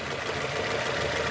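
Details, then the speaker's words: 2002 Nissan Almera N16, QG18 cable-throttle engine, idling after swapped cylinder 3 and 4 ignition coil connectors were corrected: steady, even idle hum with no skipped beats, all cylinders firing, no more misfires. "No more misfires. All because they mix up this and this."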